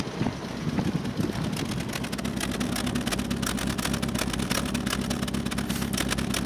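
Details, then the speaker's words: Alfa Romeo 33 boxer engine with carburettors, in poor condition, running rough with a cyclic rhythm of light ticking and chuffing, as if missing; strange noise on one side, owner suspects a badly closing valve, plans to check valve clearance. "cũng khá theo chu kỳ , đó không phải là một dấu hiệu tốt ."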